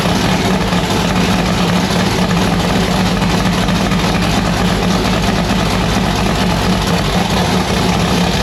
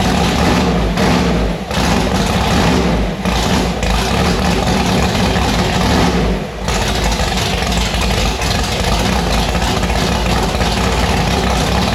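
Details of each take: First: V8 race car with newly installed 1150cfm Pro Systems carburettor on E85, just started: loud, choppy idle with uneven loping beat and deep rumble; rough idle, carburettor still needs tuning. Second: Car Annabelle on E85 with freshly installed 1150cfm Pro Systems carburetor; loud, lumpy, choppy V8 idle with sharp rev blips, firing steadily and staying lit; runs properly, sounds violent.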